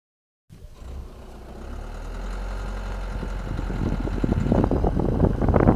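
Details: 2014 Citroen C4 Picasso: low rumble, then uneven metallic clicks and knocks when turning and straightening the steering at low speed.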